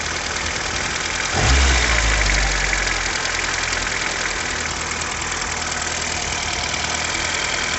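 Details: VW Jetta Mk2 at idle: a quick, regular tapping knock of about three per second over a steady idle, from inside the engine. Engine knock.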